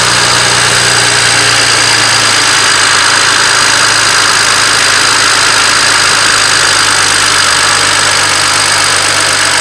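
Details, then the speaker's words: BMW N54 after replacing vacuum lines, engine cover off, idling: steady loud idle with harsh hissing, whooshing top end and uneven fast ticking; cause unclear, not confirmed; loud engine noise at idle. "I completely forgot that when what do you don't have a cover on it's like super loud that was loud like sheesh"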